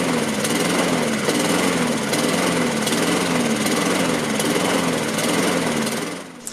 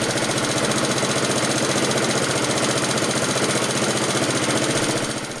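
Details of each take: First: Laser 46cm lawnmower, Honda GCV135 engine with Keihin BB carburettor, run without air filter: idle rises and falls about every second, hunting on the governor; lean air leak at the carburettor, heat shield fitted wrong way round. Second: Laser 46cm lawnmower, Honda GCV135 engine, Keihin BB carb, after reassembly with new heat shield gasket, air filter awaiting replacement: even, steady idle putter with regular firing beat, no hunting or surging; running smoothly.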